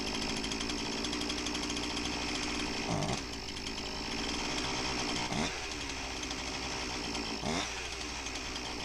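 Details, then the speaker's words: Husqvarna 346XP chainsaw runs high and raspy with surging, hunting note dipping every couple of seconds; big air leak, carb-clean test points to intake boot or base gasket, boot looks fine; cylinder base gasket leak. "and this is a big enough air leak that i got a pretty good idea what's going on"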